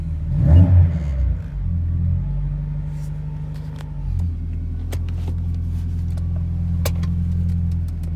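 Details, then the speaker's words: BMW 518 with M10 engine, manual, on BC Racing coilovers: starter catches, brief rev, then smooth, even low idle with steady rumble and no knocks or ticks; normal start and idle. "But yeah, we'll start the little M10 up. Hopefully it doesn't make any bad noises. Sounds good so far."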